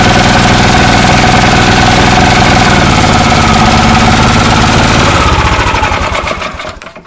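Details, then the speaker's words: Snowblower small single-cylinder engine with non-adjustable carburetor, running only with air cleaner off: loud chatter about four beats a second, uneven and lumpy, then dying; rough running, owner suspects carburetor float sticking intermittently. "it's like the carburetors stuck sometimes stuck up not stuck at other times like a float"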